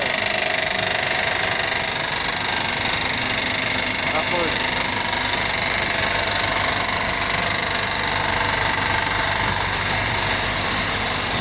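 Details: Honda 3.5 V6 petrol engine running with a loose, uneven knock about twice a second over busy engine noise; suspected valve or connecting rod issue, cam timing and hydraulic tensioner to be checked, cause not confirmed.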